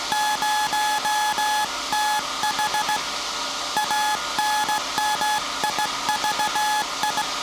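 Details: SAQ Grimeton 1924 Alexanderson alternator VLF transmitter on 17.2 kHz CW, December 1st 2024 centennial transmission; clean steady mid-pitch tone keyed in even dots and dashes, normal Morse CW keying.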